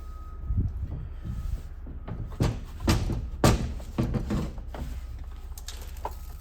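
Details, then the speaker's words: 21 hp Briggs & Stratton engine, hard to turn over, spun carefully: irregular heavy clunks and knocks as broken cam decompression lobe and spring pieces tumble loose inside the crankcase. "You can hear bits going everywhere in there."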